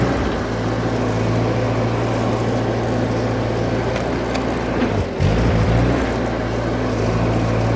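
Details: Old Ford 8N tractor (circa 1948–52), being driven, previously hard to start: steady low drone holding an even beat while pulling, no popping or cutting out; healthy under load.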